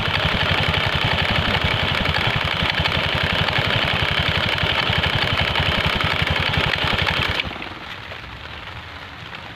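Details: Honda Scoopy scooter at idle with a rhythmic clunking knock, about four per second, from the CVT until shut off; with the cover off it is suspected to come from the front side; worn clutch lining later found.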